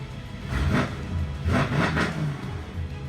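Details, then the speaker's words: Wrecked 800 hp Mercedes-AMG E63 S V8, damaged in a front-end collision, at its first start after sitting a year and a half with the oil system primed: three crisp, clean throttle blips over a deep steady rumble, sounding healthy with no misfire. "Wow, it's crispy, bro."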